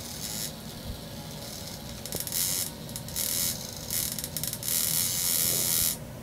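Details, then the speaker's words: 1961 Monitor Radio MC-160 receiver, whose vibrator contacts were sprayed and sanded to burnish them: a harsh, crackly, sparking buzz that cuts in and out; the vibrator works only intermittently, and other faults such as a short are suspected. "so what I decided to do is spray it again and run some run some sandpaper between the contacts hopefully trying to burnish these contacts and here's some original sound so you can hear you know what the vibrator sounds like"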